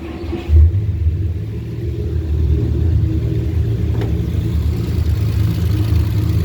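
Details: 1949 Studebaker with a customer hard-start complaint: brief cranking after a couple of throttle pumps, then the engine catches quickly and settles into a steady, low, even idle with no misses or knocks.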